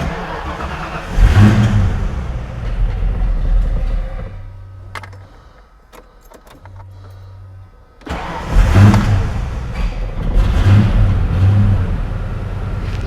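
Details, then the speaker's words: A long-sitting Ford Foxbody (Mustang) on a cold start fires and revs, then sags to a faltering near-stall for a few seconds before catching. The stumble is under diagnosis: fuel pressure reads low and there is a stored SPOUT circuit code from timing being set. "Cold doesn't really want to stay running."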